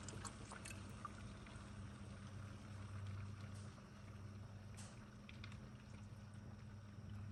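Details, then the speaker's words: E93 after replacing the electronic water pump and thermostat, bleed procedure (heat max, zones low, pedal held 10 s, battery on trickle charger): low steady pump hum with faint intermittent gurgles and trickles as trapped air is pushed out of the coolant. "I'm going to wait to listen for the water pump to turn on and there it goes"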